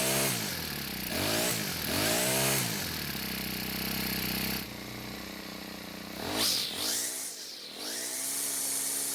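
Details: Cub Cadet four-stroke trimmer, after turning the hidden carb screw half a turn counterclockwise to richen it: revs up and down cleanly and holds a steady idle between throttle blips without stalling.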